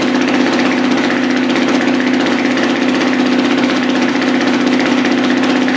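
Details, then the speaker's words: Freshly rebuilt dirt bike engine with new piston, just started with no oil pressure yet and higher compression, idle expected to rise on its own: steady, even idle with a regular beat and slightly low, tight note; normal idle. "so the idle is going to start coming up on its own very soon there's no oil pressure so everything's very very tight so you want to give it a second you'll hear the idle come up high"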